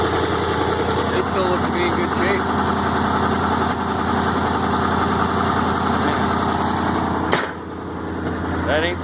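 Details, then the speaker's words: 1965 International Loadstar 1700 truck engine idling steadily, not missing a beat, with only a faint puff from an exhaust leak; runs healthy. "that thing sounds great not missing a beat the only eating here is that exhaust leak"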